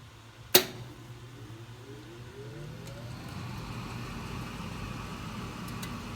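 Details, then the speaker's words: Thermostat-controlled garage furnace starting: a sharp ignition click, then the burner lights and builds into a steady, even roar with no rumble or banging. Normal burner ignition and running. "I'll let it run for a minute so you can hear the flames kicked on, the burner kick on and everything."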